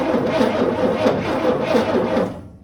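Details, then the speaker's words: 1955 Chevrolet 3100 truck, unrun since about 1993: steady, even cranking for two seconds that never catches; no start because the ignition points are too old and worn to spark properly, and new points are probably needed. "Yeah, I think we're going to probably have to have some points. Yeah. I started getting them to spark, but they're just so old and worn down, they just ain't, yeah, they ain't wanting to cooperate."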